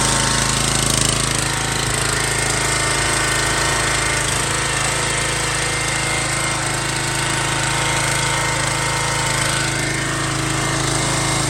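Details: An MTD Yard Bug riding mower that sat for years runs after a spark check and a little added gas. It gives a steady, even small-engine clatter at constant speed without stumbling, running normally.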